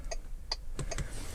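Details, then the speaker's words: Bentley Continental GT after fitting a new speaker, having been without indicator or warning sounds: crisp turn-signal ticks about every 0.4 seconds (roughly 150 a minute) over a quiet background, so the ticker now works normally. "everything's gone back together nicely and I'm pleased to say that new speaker is doing the trick now"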